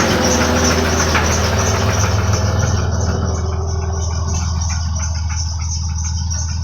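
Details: Idling petrol engine after head work and two replaced pistons, loose flex plate bolts tightened, knock reduced but present: steady low rumble with faint fairly regular light knock; cause unknown, flex plate suspected.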